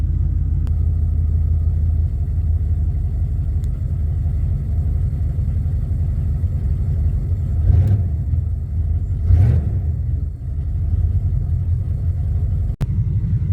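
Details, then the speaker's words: 1988 Formula Firebird with a swapped 5.7 TPI 350 from a 1992 Z28 Camaro, after a new AC Delco fuel pump install: steady even V8 idle with two brief throttle blips, settling back smoothly, running normally. "it has been a long battle with this car it is running I have been driving it for about six months now"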